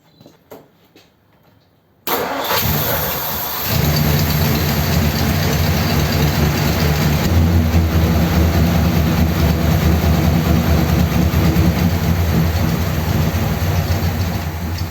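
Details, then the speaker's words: 1957 Ford Thunderbird with original parts reinstated: it fires after about two seconds into a lumpy, uneven idle, running massively rich with fuel pouring out by the accelerator pump. Owner suspects a high fuel level or bad float. "don't look right does it so why is it massively rich"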